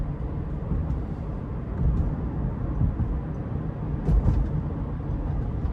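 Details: 2018 Subaru Forester Limited, 170-hp 2.5L 4-cylinder, in-cabin at cruise: steady low road and engine rumble with no ticks, creaks or rattles; tight, quiet cabin.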